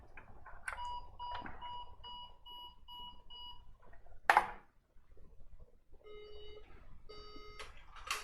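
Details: HP ProDesk PC failing POST with 5 long red and 7 short white flashes and beeps, unchanged after moving RAM; clean electronic beeps, long higher tones then shorter lower ones, caused by a cracked PCH chipset, board not repairable without replacement.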